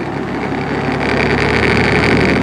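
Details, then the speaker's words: Old rusty box fan, unrestored, on medium speed: a steady drone with a rough, gritty buzz over the low hum. It is serious motor bearing noise. "Oh yes, that does stay on, so that's probably what that's for. Yeah, that's some serious bearing noise."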